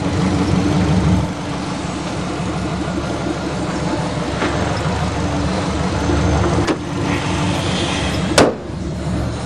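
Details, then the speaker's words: Subaru Legacy 2.5 L boxer (rated about 155 hp, owner thinks), running after a makeshift brake repair: steady even low rumble, no knocks or misses, runs sweet. Normal idle. "so I bet she's fast 2.5 L boxer engine I think they're rated at 155 horsepower run sweet just like"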